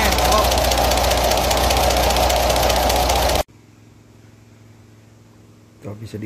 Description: penyrbab setrlan klep berubah rubah di jrlaskan di vidio ini di karnakan tappet cam shaft yang aus dan cam lobr camshaft